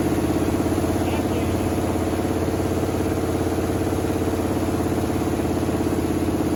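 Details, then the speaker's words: 1979 Chevy C30 V8 first run after eight years sitting: steady lope at idle with slightly uneven beat, about three pulses a second; owner notes exhaust leaks. "first time running eight years i've been sitting for eight years fires up in oh idols"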